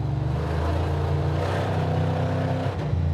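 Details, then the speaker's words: 1970 or 71 Camaro V8 driving in a three-speed at about 160 degrees with good oil pressure; deep rumble runs rough and uneven with a stumble, a bad tune-up misfire from a disconnected spark plug wire. "Something's wrong with the tune-up, really bad. Yeah, it doesn't run good."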